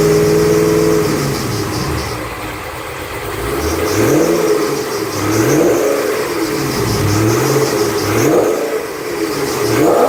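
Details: 2008 Bullitt Mustang, 8-rib serpentine belt, cold engine the morning after sitting overnight in the garage, under 30 miles driven: revved up and down, a faint chirpy squeal rises and falls with each blip, a slipping belt.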